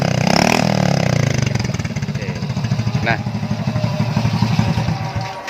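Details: Motorbike after a white-smoke repair with an oversize piston and oversize 25 rings: the single cylinder thumps quickly and evenly, picking up cleanly as the throttle opens with no knock or rattle, normal revving.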